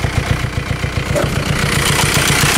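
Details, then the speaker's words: VW Beetle idling: quick, even pulsing thrum with a faint whoosh over it. The power steering pump has a bad wobble and the tensioner looks good. It sounds like a hose is off, but boost pressure was checked and builds. "then hear that noise. The power steering pump has got a bad wobble. The tensioner looks good."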